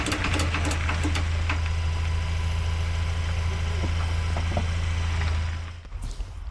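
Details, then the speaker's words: Ford Ranger in 4x4 mode, accelerating while turning (no noise in 4x2): sharp clicks and knocks about three a second over steady drone; loose driveline bolts, noise gone after tightening. "got loose and after I tighten those bolts the issue got resolved and the sound was gone"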